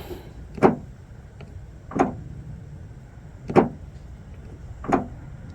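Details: Kia Telluride rear liftgate, fully closed and stuck shut, before latch replacement: four short, sharp actuator clicks about 1.5 s apart, but the latch never releases. The liftgate latch is faulty.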